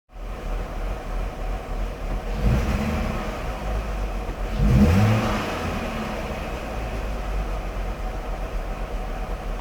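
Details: 1999 BMW 540i V8: low note wavers unevenly and swells with two throttle blips, then settles into an uneven idle; rough idle, cause unknown.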